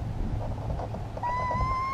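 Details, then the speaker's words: Jabiru 170 stall warning horn, mechanical suction-operated system tested during preflight by sucking through a tissue on the wing inlet: a steady reedy whistle near 1 kHz over outdoor rumble, horn working normally. "Did you hear that noise? Yeah. That's the stall warning. Okay. So the stall, that's your stall warning, that's what it sounds like."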